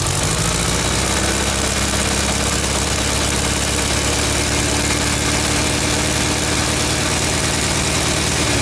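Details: VW Beetle engine idling after its smoking alternator was removed and repaired with electrical tape: steady, even idle with a smooth low rumble, no misses, knocks or squeals. Engine runs fine, though belt tension is still uncertain.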